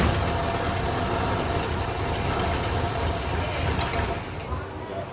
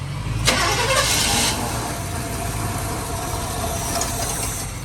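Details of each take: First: 1957 Chevy Bel Air first started after about 19 years sitting: rough idle for about four seconds, then the engine sags and stalls as the fuel system isn't pulling and the gas in the car runs out. Stalling from fuel starvation. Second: 1957 Chevrolet Bel Air, mostly original, first start after sitting about 19 years and sucking in fuel: a quick catch, then a steady, even rumble that holds without stumbling or dying. The engine is running normally.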